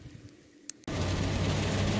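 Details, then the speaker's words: 2004 Chevy Tahoe road test at 40 mph after replacing the front differential that whined under throttle around 40 mph: even tyre and road rumble with no whine; front diff now quiet. "right guys we're driving around the Tahoe see if we fixed it and I think we got it fixed that front diff did it we're doing 40 right now there's no sounds"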